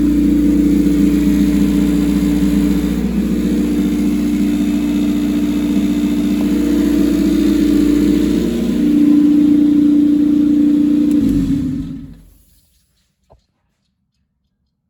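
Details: Rear-engine Honda CRX with a custom turbo kit after restart: steady, even idle at constant pitch, a brief blip near the end, then a clean shutdown.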